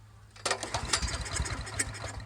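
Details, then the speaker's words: Honda GX390 single-cylinder engine fitted to an Ariens Rocket 8020 rototiller, throttle at mid, primed with a shot of gas down the carb: silence, then quick uneven pops as it fires off the prime; wants to run. "like she's gonna run guys that's a good sign that means carb job already"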